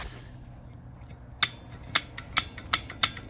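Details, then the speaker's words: Old Predator 212 go-kart clutch turned by hand, sharp metallic clicks coming faster, about two to four a second; clutch rubbing inside because its bushing is worn out. "The problem is this clutch is absolutely done. I mean, it's rubbing on the inside, as you can hear it"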